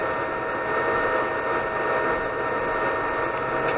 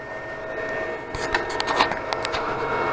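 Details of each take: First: Anycubic Chiron 3D printer after raising nozzle that sat too close to bed: smooth steady hum and faint high tone, extruder stepper clicking stopped; normal extruder operation. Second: Anycubic Chiron 3D printer printing: sharp irregular extruder stepper clicks over motor whine, extruder skipping because nozzle is too close to the bed; clicking stopped after raising it.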